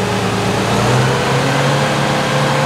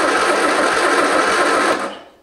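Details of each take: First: 1973 MG Midget parked over 40 years, oil leak and timing addressed, good oil pressure: engine catches and runs steadily, rising and falling smoothly with throttle, no knocks or misfires; normal running. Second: 1973 MG Midget parked over 40 years, timing out and plug wires reordered into a guessed firing order: starter cranks in quick even pulses about two seconds then cuts out, never catches; owner wonders about wires or fuel.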